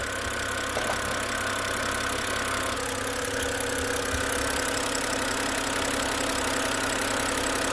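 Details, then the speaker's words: BMW N52 six-cylinder at 222,000 miles (about 350,000 km), found with no coolant: smooth, even idle with a faint steady valvetrain tick, no knocks or rattles; quiet and healthy. "I mean, this engine, like, I think even mine is not as quiet."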